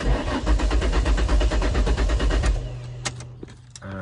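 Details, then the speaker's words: Ford Mondeo ST200 after fuel pump module replacement, pump primes: starter spins the engine evenly for about 2.5 seconds with no firing, then cuts out; owner suspects fuel filter. Cranks but won't start. "unfortunately it's not starting up on this occasion so as you can see about to hear the engine turn it over"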